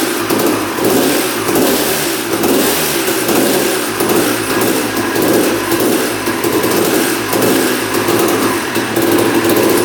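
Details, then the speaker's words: 1989 Honda CR250 two-stroke dirt bike, long sitting, after motor mounts tightened and idle adjusted: revving and blipping with a burbly, uneven, crackly note and heavy smoke; owner suspects too much oil in the tank mix and hopes the crank seals are fine. "seems like the mix is pretty rich though in the tank it's uh smoking quite a bit"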